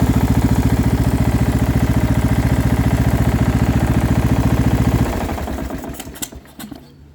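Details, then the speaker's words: Small single-cylinder engine from quick build, with muffler, meant for a Murray project if no knock: idle about three and a half beats a second with light low rattle on each beat, then shutdown; not a heavy thump knock, cause unclear. "there is a noise but to be honest it doesn't sound that bad it's not like a good thump thump some some knock"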